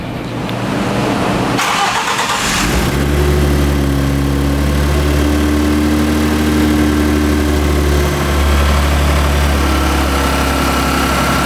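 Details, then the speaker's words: Ford Mustang with swapped 3.5L EcoBoost, direct plus port injection, first startup on E85 with a guessed tune: cranks, catches in about two seconds, then a steady smooth idle with slight rpm wander, quieter and smoother than on 91 fuel; normal idle. "it's looking really good sounds quieter it's a little running a little smoother than it was with the 91 in here"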